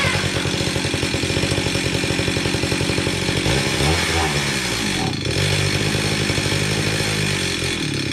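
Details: Stihl 031 AV chainsaw from about 1974–76, unused for about 5 years, before carburetor cleaning: buzzes steadily, then revs sag and hunt unevenly before picking up, seeming to run out of gas; fuel starvation, carburetor suspected.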